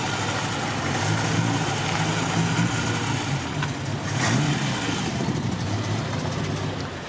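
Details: Mk1 Ford Cortina original 1200 engine, slight carburettor diaphragm leak: four-cylinder runs and pulls away with rising and falling revs, no obvious knock or misfire; normal running.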